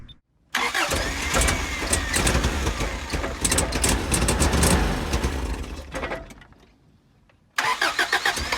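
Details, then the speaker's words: 1987 Toyota Hiace van, second test start after fitting a new exhaust: it catches briefly with rough, uneven firing, then dies and won't keep running. A recheck found low engine compression; suspected stalling from low compression. "So not only was the exhaust leaking, Joey was no longer running on his own steam, and we haven't even moved him yet."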